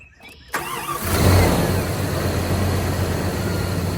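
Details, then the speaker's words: 1994 Jeep Grand Cherokee ZJ 5.2L Magnum after idle air controller replacement: quick crank, catches within a second, settles into smooth steady 700 RPM idle with even rumble, no misses. Normal idle after repair. "And just like that right there, it's fired right up. It's idling at 700 RPM, which is typically normal for a 5.2."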